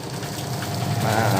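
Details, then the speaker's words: Sharp single-tub automatic washing machine converted to manual timer, after rewiring so pulsator and tub turn: steady low motor hum with swishing water building smoothly as tub speeds up; spin for drying works normally. "ini udah bener ya Tuh jadi untuk mengering sama aku soalnya mau semuanya"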